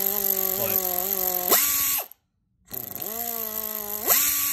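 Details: OEM Tools 24415 1/4" air impact ratchet, rated 50 ft-lb and 700 rpm, variable throttle: a whirring motor tone holds, then climbs sharply as the trigger opens, twice over; ratchet runs freely and smoothly, normal running.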